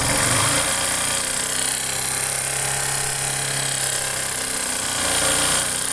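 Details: Yamaha Factor 150 motorcycle engine: harsh rattling clatter about four beats a second over a low steady hum; abnormal engine noise, cause unclear.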